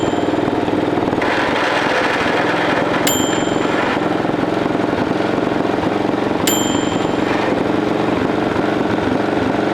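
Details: 1941 Caterpillar dozer, sat for years: pony motor cranking the main diesel, steady heavy churn with occasional uneven pops and puffs, won't fire up; they suspect insufficient fuel, maybe the fuel filters.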